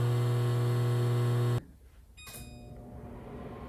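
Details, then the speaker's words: Whirlpool over-the-range convection microwave not heating: loud steady low buzz while running, then abrupt cutoff; failing magnetron showing continuity between terminals and housing, replaced. "another sign something was wrong was the noise coming from the microwave"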